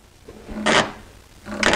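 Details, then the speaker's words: Pontiac GTO on new VMR V810FF wheels and tires, raised toward factory ride height during mock-up: short dry scrapes as the tire sidewall lettering rubs the wheel well, rubbing more the higher it goes. "okay, the higher I go, the more it starts to rub. Okay, now it rubs pretty good right there."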